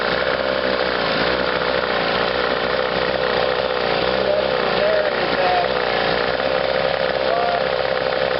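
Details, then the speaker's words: Chrysler two-stroke twin outboard, electric start, on a test wheel: buzzy note wavering as one cylinder cuts in and out, running on one; intermittent ignition misfire. "you can hear this fire it's only running on one there and it's got two coming in inter"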